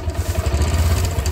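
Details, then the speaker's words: Bajaj Discover 135 single-cylinder bike at idle: quick light metallic clatter from the timing side over a steady thump; tightening the tensioner only quiets it briefly, so the cam chain tensioner is being replaced. "তো tension আর tight দিলেও আওয়াজ বন্ধ হয় না কিছুক্ষণ বন্ধ হয় তারপরে আবার আওয়াজ শুরু হয়"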